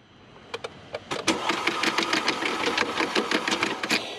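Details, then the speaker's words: Used Audi 2.0T interference engine cranking: fast, light, uneven turnover with no compression strokes and it never fires. No compression from a failed timing chain tensioner; the engine has internal damage and needs new valves. "sounds awful. Sounds like there's no compression. Yeah, there's no compression. So the time and chain tension is failing these vehicles."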